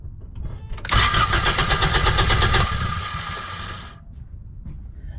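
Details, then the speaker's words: 1987 Toyota Corolla FX16 GTS cranking steadily about three seconds without catching; no fuel delivered, pump unpowered because of a kill-switch relay wired to the defroster switch, fixed by rewiring. "no fuel could be a bad fuel pump"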